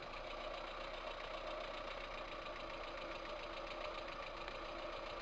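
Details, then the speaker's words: VAZ 2108 1.3 L engine at steady idle, fast light tapping from the top of the engine; knock caused by worn valve guides with large valve play, one valve burnt, apparently by exhaust gas blow-by. "значит вот я снял голу не показывали шоу чему и как я снимал бы мог она снята обнаружил дней следующие два клапана имеют огромный люфт направляющих втулках"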